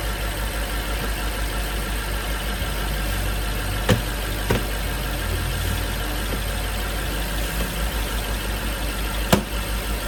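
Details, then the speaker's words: 2012 BMW 750Li twin-turbo V8 after DIY turbo coolant line replacement (leak had sprayed blue coolant over the alternator): smooth, even low idle burble with light turbo whistle, no knocking or ticking; running clean after repair. "as you can see brakes up not making weird noises you hear the turbos I mean if thing is running nice"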